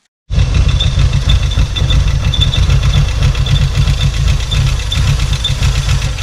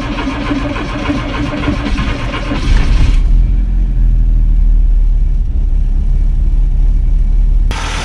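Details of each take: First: 1986 VW Golf 2 with a 1.8 GX 90 hp engine, stood nearly five years: a low, lumpy idle with uneven pulses and a shaky beat, caused by the engine sucking in air (vacuum leak); the problem was later fixed. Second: 1986 VW Golf 2 with 1.8 GX 90 hp engine, sat almost five years; it starts a little slowly but catches and settles into a steady, even low idle with no knocks, misses or hunting. Previously it idled too high from a misadjusted idle screw.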